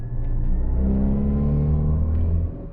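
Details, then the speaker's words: Great Wall Wingle (V240) campervan, Mitsubishi 2.4-litre petrol, driving: coarse, droning roar building under heavy throttle; serious NVH, harsh, cause unclear. "there's some serious NVH issues going on that sounds extraordinarily awful yeah it's not good at all"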